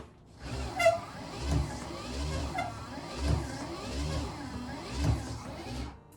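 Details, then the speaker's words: 12 V universal windscreen wiper motor fitted to a moped screen, bench-tested on an AC-to-DC adapter with shortened, welded arm and blade lowered onto dry screen: regular swishing about once a second, soft motor whir, slight drag from dry glass; wiper working normally. "Okay, that does work quite well. A bit of resistance, but it is dry."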